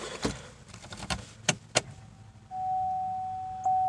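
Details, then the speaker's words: Chevrolet Malibu that stumbled, sputtered and stalled while driving and then cranked without starting, with a weak battery: a steady whir at key-on for a couple of seconds as the fuel pump primes, suggesting fuel may not be the issue. Normal fuel pump prime. "you know what i just heard the fuel pump prime maybe it's not a fuel issue"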